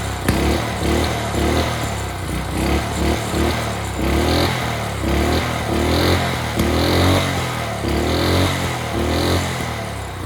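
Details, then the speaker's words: Early-to-mid-2000s Craftsman brush mower, sat 3 years, carburetor cleaned, old oil, first start: single-cylinder runs steady with an even beat that dips and recovers under load, no misses or knocks; runs great. "well that's perfect runs great what more can he ask for"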